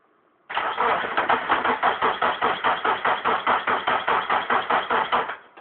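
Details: 1998 Subaru Forester after both head gaskets were replaced: starter cranks evenly at about two and a half turns per second for five seconds but the engine never catches or fires; crank, no start.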